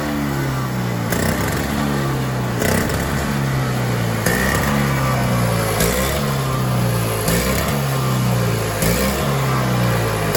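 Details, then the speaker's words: Toro two-stroke single-stage snowblower, owned about 5 years, run outside after the carburetor jet was filed open: engine still hunts, rising and falling about every 1.5 s; surging persists, new carburetor suspected. "nothing the only thing I can think of is maybe a new carburetor it's just constantly surging surging surging"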